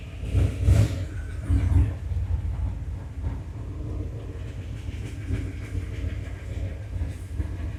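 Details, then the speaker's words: 1976 Ford F250 turbo 331 V8 just fitted with a bigger cam and freshened heads, first run; low rumbling idle with a slightly loping beat from the cam settling into steady running, normal; tune expected to need readjusting. "There's a hint of a chop. That's all right. You can hear it. So far, pretty good."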